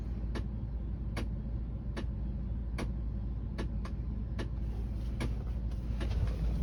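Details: Car with the A/C making noises: sharp clicks roughly every 0.8 seconds over a low, steady engine hum; a clicking tied to the air conditioning, cause unknown.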